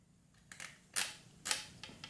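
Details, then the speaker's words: Porter Cable FN250C 16-gauge nailer shooting nails after a repair, pressure turned down from 110 PSI (too hard; 90 preferred): sharp, separate, crisp pneumatic shots about every half second; normal firing, though a slight air leak is noted afterwards. "oh yeah we're back in business now it's shooting way too hard I think the pressure is too high the compressor was at 110 PSI"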